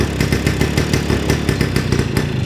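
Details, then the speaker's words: 1953 MV Agusta 125 Pullman, first start of morning, cold on choke after fitting correct-reach spark plug: bangs skip and bunch unevenly instead of steady beat; misfiring at idle, owner suspects points/ignition, possibly carb needle. "Hear that missing? Yeah. Should be constant bang, bang, bang, bang, bang, bang. It's all over the place there."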